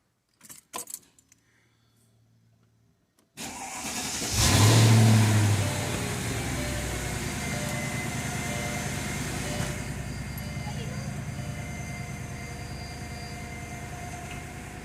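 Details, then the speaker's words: 2002 Mercedes CL500 V8 started after new spark plugs, plug wires and coil packs on the right bank only. It cranks briefly, catches at once and settles to a steady, even idle with no ticking, misfire or rough running. "all right she's running smooth so far let's wait for her to idle down a little bit she's running rough nope she's not running rough at all [Music] no ticking no misfire"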